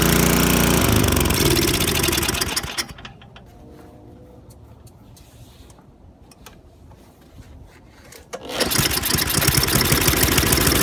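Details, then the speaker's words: MTD Yardworks 24" snowblower with Tecumseh 195 cc 5 HP engine, primed, on choke at full throttle, hand-cranked: runs loud and busy, drops to near silence, restarts, then dies once the choke is reduced. "But then I tried to reduce this and it died."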